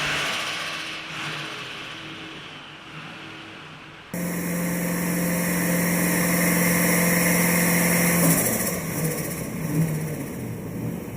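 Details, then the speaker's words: Freshly turbocharged TVR Chimaera V8 on a hub dyno being mapped at about 2500 rpm with boost rising: strong even pitch under load, no misses or knocks; running healthily. "As the revs climbed, so too did the boost pressure. 2500 RPM got mapped with no dramas, and the car was starting to sound very angry indeed."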